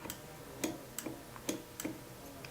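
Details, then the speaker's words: Baratza Sette 270Wi coffee grinder with motor off: six crisp, light clicks as the safety switches engage on locking the hopper clockwise and setting the grind indicator below 31, both required before the motor runs; normal. "If you listen closely, you can hear a safety switch clicking when I lock my hopper in."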